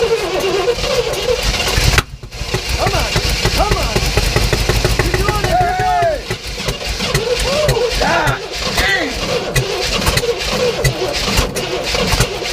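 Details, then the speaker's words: 1967 Oldsmobile Toronado project, points cleaned, fuel poured down the carb, throttle pumped: long cranking with ragged catching firing that never settles; cannot keep running on its own. "crank it oh yeah right just cannot do it on its own"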